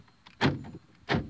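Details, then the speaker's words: 2014 Scion xB driver's power door lock after repair with replacement lock actuator motor: two quick, crisp lock clunks about 0.7 s apart, no buzzing or grinding; actuator working properly, locking and unlocking. "I'll test the power lock now. Well, it's open. I can hear it. There we go. Music to my ears."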